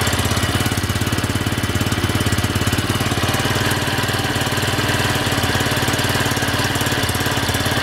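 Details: Minsk X250 motorcycle (ZiD YX 250 / Irbis TTR250 type, 166FMM single-cylinder, Chongqing Yinxiang-built) at idle: a knock has appeared with the engine warmed up, steady about 3.5 per second over a clattery single-cylinder idle.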